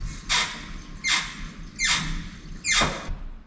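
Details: Lotus Elise clutch pedal pressed: four loud, high, falling squeaks about a second apart, coming from the transmission end, from the dry slave cylinder actuator rod and clutch fork pivot, cured with grease.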